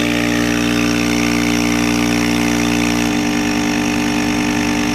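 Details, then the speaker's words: Craftsman 30-gallon air compressor after seal rebuild with kit K-0648, previously leaking badly through the intake: even piston thump about three strokes a second, smooth motor hum, no knocks or hiss, now holding 125 psi. "all right so it works it's holding 125 psi"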